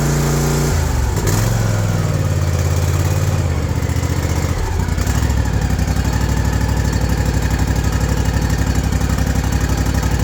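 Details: New Ariens Ikon mower, Kawasaki FR691V V-twin, 5 hours, which surged at idle from new; after carburetor cleaning and a new fuel filter it idles with an even, steady low thrum and no surging.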